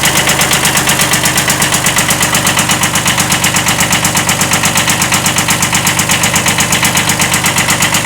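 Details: 1979 Kubota B7100 diesel idling, D750 engine: steady rapping knock at roughly 98 per minute over the clatter; slight rod knock, engine not worth rebuilding, replaced with a D950.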